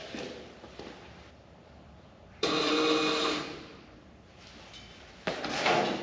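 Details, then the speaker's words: 1940 Dodge with DeSoto Hemi and new Holley Sniper 2 EFI (Holley PDM, Hyperspark distributor), body back on chassis, no fuel yet: key on, faint electric whirring for a couple of seconds as the fuel pump primes as it should. "When I turn this key on, the fuel pump should come on. So you let me know what it does."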